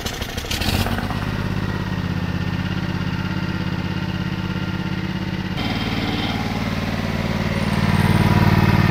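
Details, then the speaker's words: Ride-on mower left outside for 5 years, first run after repair: single-cylinder catches and settles into a steady even chug, picks up slightly, no misfires or knocking, a little smoke, good compression; runs well. "that sounds a minute runs well"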